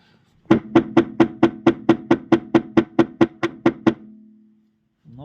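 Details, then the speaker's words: Audi A6 C5 on stands, wheels straight, camera mic fixed near the steering rack: a quick, even run of hollow metallic knocks, about four a second, from play in the rack, heard in the lower position. "этот звук. Стук в рулевой рейке слышен именно в нижнем положении."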